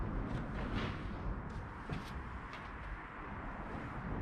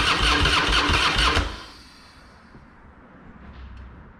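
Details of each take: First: Harley-Davidson Fat Boy, sat a couple of years, just after replacing the diaphragm fuel valve: a few quiet clicks, fires straight up into an even, loud V-twin lope for four seconds; healthy start. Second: Harley-Davidson Fat Boy, sat a couple of years, fresh high-octane fuel, Mobil 1 20W-50, tended battery: fast even starter cranking about a second and a half, no catch, then quiet; engine turns but gets no fuel because the fuel valve was left off.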